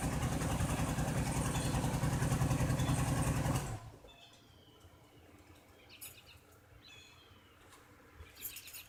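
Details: Buick with failing intake gaskets and coolant mixed into the oil: a rough, lumpy idle with odd knocking underneath for a few seconds before shutting off; a misfire, cause suspected but not confirmed.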